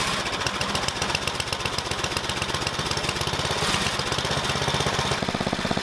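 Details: Tecumseh Snow King snowblower single-cylinder engine after carburetor replacement: fast, even putt-putt at steady speed with no misses or surging; runs clean and healthy.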